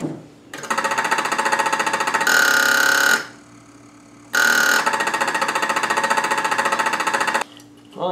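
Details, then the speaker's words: 1970 Fastback, 289 block with 302 heads, newly wired starting system, key turned: two bursts of harsh rapid buzzing chatter with ringing, engine never cranks; owner suspects a bad ground; starter buzzing noise. "that was not a success, was it? Why is this making all this noise?"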